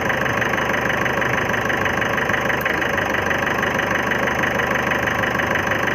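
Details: 2011 Ford Figo diesel at idle: steady regular knock about three per second with an uneven missing beat; injector problem suspected, not confirmed.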